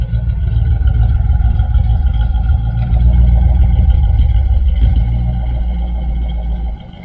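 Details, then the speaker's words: 1978 Dodge Aspen R/T V8 with newly welded, tucked-up exhaust, said not to leak: deep, steady idle burble with even rumble and no leak ticking, then shutoff; sounds like a Chevelle with 2-chamber mufflers. "It kind of sounds like my Chevelle. Though the Chevelle, I think I got like 2-chamber mufflers on there. Sounds really good. It actually sounds just like my Chevelle."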